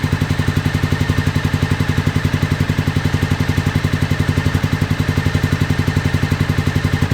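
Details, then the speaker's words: 2001 Honda VFR Interceptor just started after nearly a decade in a barn, jump box, throttle half open, owner thinks it is working out bad fuel. Heavy lumpy thudding about two beats a second, deep uneven pulse: misfire, running on only part of its cylinders. "wow it's still working some of that bad fuel out of it"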